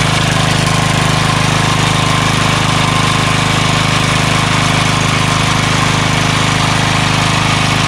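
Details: Craftsman 3 HP Tecumseh lawn edger, after water-contaminated oil changed, tank cleaned, new carburetor, gas line and air filter, running with fuel stabilizer added: steady even idle beat around three per second, no misses or surging; normal idle.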